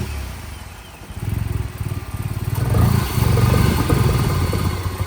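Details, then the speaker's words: Vauxhall Corsa VXR after roadside engine swap for blown head gasket, exhaust refitted, no coolant, brief run: engine catches and surges unevenly, lumpy pulsing rough running just after start before settling to idle. "Oh. It's doing that thing again."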